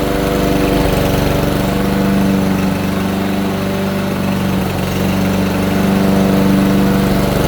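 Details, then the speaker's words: Troy-Bilt TB320 push mower, Briggs & Stratton 625EX 150cc single-cylinder, after tune-up with new air filter and spark plug for bogging and dying: smooth even buzz at steady speed, no surging or misses, running much better. "I know it's hard to tell on camera but yeah it's definitely running a lot better"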